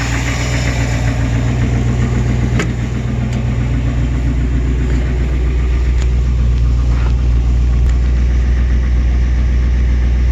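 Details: Small-block Chevy V8 idling with a regular knock about four per second that follows engine speed; loud on cold start, then quieter but persisting. Rod knock suspected.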